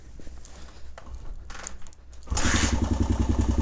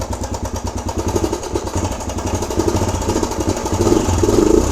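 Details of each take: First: Suzuki DRZ125 single after resetting the cam chain tensioner: brief quiet ticking, then it fires and settles into an even, steady thump with no top-end clatter; much quieter than before, exhaust now audible. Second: Suzuki DRZ125 single at fast idle: light quick tick over each firing pulse, seemingly from the top end; owner suspects valves or cam chain.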